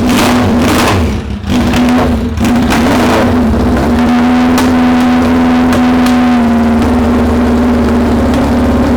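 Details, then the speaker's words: Suzuki Bandit 600 first start after setting the carb float heights, through a very loud exhaust, with oil smoke burning off. Harsh exhaust with uneven, lumpy firing; runs rough, and the owner says it needs tweaking and tuning. "But it fires. It don't run very happy, it all needs tweaking and tuning and stuff as well."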